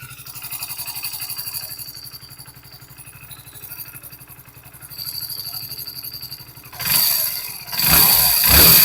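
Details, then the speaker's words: Hero Splendor BS6 new-model single-cylinder bike after tappet/valve clearance setting (0.10 mm intake and exhaust) idles smooth and even. The earlier heavy tappet clatter is fully gone. "अब engine से थोड़ा भी झरझर आठ का आठ का नोइज नहीं आ रहा साउंड जो है नया जैसा हो गया मस्त मला मक्खन जैसा इंजन के अंदर से साउंड निकल रहा है"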